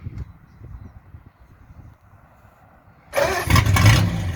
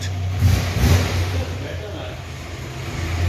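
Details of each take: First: 1940s Hudson with a big side-valve (flathead) engine, before its exhaust was welded. It catches after a quiet pause and runs loud and raspy with uneven puffing once or twice a second, pointing to a leaking exhaust. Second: 1940s Hudson with a big side-valve (flathead) engine, after its thin exhaust was welded. Low, steady exhaust rumble with no puffing or ticking leaks; it sounds like new and better than before, so the repaired exhaust is sealed.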